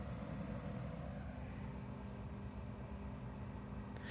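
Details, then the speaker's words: Van fridge-freezer for a 1984 Vanagon, just switched on and set to max: steady low hum with a soft even fan whoosh like an air conditioner, no rattles or surging; fan running normally. "see it's kind of like the noise of an air conditioner yeah i would say it's the noise of an air conditioner it's pleasant it's not bad"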